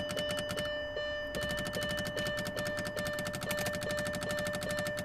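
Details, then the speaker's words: Mercedes S320 W220 with wipers not working: rapid, regular clicking at about two to three a second from the relays on the left SAM when the wipers are activated, while the wiper motor tries to run; relay chatter. "Okay, can you hear this? The motor is kind of try to run. And here I have this noise."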